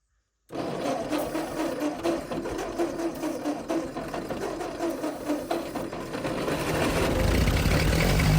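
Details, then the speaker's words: Ford 8N tractor, first start, carburetor primed with cleaner. Fires and settles into steady, even chug about two beats per second, revs smoothly, little smoke: normal running. "She sounds pretty good, and I don't even see much smoke."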